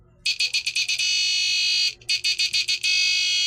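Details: Power inverter on a 10 V battery, no fan: high buzz stutters a few times as the drained capacitor recharges, then settles into a steady tone, twice over; normal inverter start-up and running buzz.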